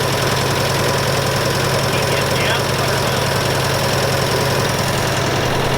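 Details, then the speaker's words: Massey Ferguson 65 tractor petrol engine with dirty carburetor needing rebuild, throttle up: lumpy uneven beat about 2–3 per second, rich and rough; carburetor flooding out, rough running. "well we know it's gonna run so we gotta work on it a little bit here all right sweet now we gotta work on it from not flooding out obviously now"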